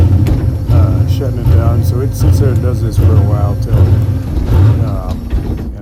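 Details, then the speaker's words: Drag car at a track rental; revs surge and sag roughly once a second as a section of the oil pump runs dry, builds a little pressure, then loses oil and shuts the engine back; must wait for pressure to return. "Bouncing in RPM you hear it is because there's no oil in this section of the pump. It's picking it up, getting a little pressure, and then running out of oil, and then"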